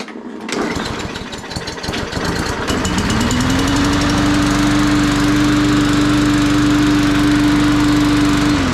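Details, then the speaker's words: Cheap Walmart push mower, primed three times before pulling; a few pulls, then it catches and climbs to a steady governed hum with no misfires or surging; blue smoke again. "So as you guys saw, obviously started, just gotta prime it."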